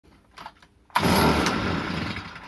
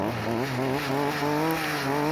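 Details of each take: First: Stihl FS 38 trimmer that won't run properly: catches in short bursts and dies twice, then runs rough and surging, unable to hold speed; a dirty carburetor, which was then removed. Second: Stihl FS 38 trimmer that wouldn't start, after its 15-year-old carburetor was cleaned with carb cleaner: a lively two-stroke buzz at a fairly steady pitch, slightly wavering with throttle, no bogging; runs normally.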